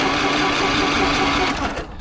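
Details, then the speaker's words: Scrap engine with oil boiling: fast even whirring crank with no compression pulses, then winds down; zero compression, owner thinks both rods broke, nothing external. "Oh, we've got boiling oil. It's good for it. I think the both rods broke. Zero compression."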